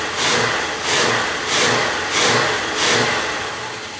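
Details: 1967 Oldsmobile 442 original 400 V8, rebuilt with new rod and main bearings and rings, running on engine stand, about 180 psi compression, good oil pressure; smooth throttle blips rising and falling, even firing, no knocks or ticks; normal running.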